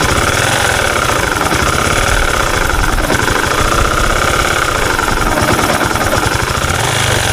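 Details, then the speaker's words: Honda Supra 125 FI single at idle before repair: dense, uneven gritty growl with knocking ("ngok grok grok"), rough though piston, valves and cam chain were fine; worn crankshaft main bearing, later replaced to cure it. "nah kalau kemarin kan ngok grok grok grok kuk ya sekarang sudahah halus"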